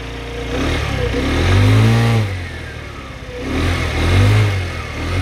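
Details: Kymco Agility 50 scooter, after its dead battery was found to cause the light and indicator faults: two smooth rev swells rise and fall cleanly with no misfire, popping or rattle; revs healthy.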